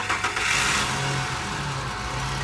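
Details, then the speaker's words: Ford F-150, vacuum lines cleaned: starter turns briefly, engine catches and settles into a steady even idle with no knocks or misses; starts healthy. "So it cranks up pretty good."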